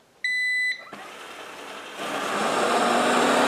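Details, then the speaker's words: Roomba-clone robot vacuum after disassembly and removal of an item causing noise and resistance: a start-up beep, then an even motor and brush whir that holds steady. Normal running after the repair. "That sounds pretty good. I think we have success."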